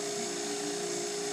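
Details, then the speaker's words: Harvest Right freeze dryer in its dry cycle, as loud as it gets: even, steady hum with a constant mid-pitched tone and airy hiss, no knocks or surging; vacuum pump running normally. "I'm freeze drying something else today, so I wanted to get what it sounds like when it's drying. This is the dry cycle."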